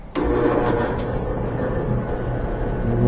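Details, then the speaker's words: Used dryer just plugged in, at start: steady low hum under the tumbling, motor sounding strained; owner reports it tumbles a few minutes then quits, and the drive motor is judged shot, to be swapped for a used one. "I've got it plugged in and I noticed if you can hear when you start this drive there's a hum in that"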